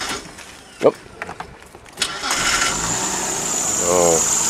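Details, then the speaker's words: Cheaply bought Mitsubishi Verada Magna, first start: uneven cranking, then it fires and a thin high squeal rises over a rattly idle; rattle and squeal at start-up, cause not pinned down; later showed slight exhaust smoke and water after 20 minutes running. "A bit rattly. A bit squealy."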